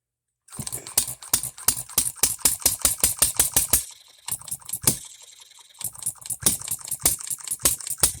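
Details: Economy hit-and-miss engine after new piston and re-ring, freshly oiled, no cooling water yet, seating rings: crisp rapid ticking about five a second broken by short coasting gaps; hits hard, properly hitting and missing, governor to be slowed down.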